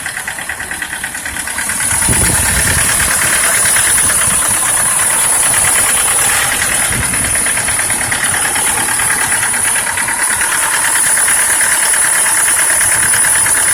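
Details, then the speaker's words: Mitsubishi L200 engine knocking at start-up; dealer technician called it a normal start sound: steady hard knock about three per second over idle; disabling cylinders one at a time, knock remained on all; engine knock. "Начали отключать цилиндры по одному чтобы определить какой стучит. Стучат все."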